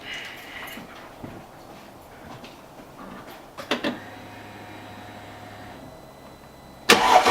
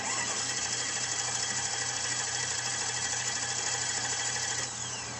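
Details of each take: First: Mercedes C55 AMG, M113 V8, start right after replacing failed crankshaft position sensor, before warm-up: brief crank, clean catch, steady even idle with no misfire or stumble; normal start and idle; sensor faults often appear only when hot. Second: Mercedes C55 AMG, M113 V8, stranded in parking lot, no check engine light: starter spins engine at steady quick rhythm but never catches or fires; crank no start from failed crankshaft position sensor.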